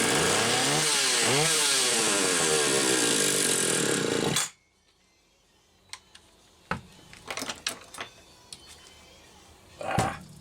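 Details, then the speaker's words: Stihl 031AV chainsaw test run after an aftermarket ignition module replaced the under-flywheel trigger: a high, raspy two-stroke buzz holding steady with quick rev sweeps, then shutdown. Runs clean and healthy; normal running. "so anyway Larry you just heard the old beast running"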